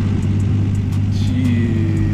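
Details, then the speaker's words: Nissan R33 GTR with a new HKS GT34R single turbo kit idling with a deep, even rumble, steady firing and no misses or knocks; smoother than its aggressive idle before the upgrade, normal idle. "it runs so good bro like it's just idling perfect like before it would idle like really aggressive like and it didn't sound bad but it just sounded [ __ ] mean this just sounds like perfect like nothing everything is just running flawlessly"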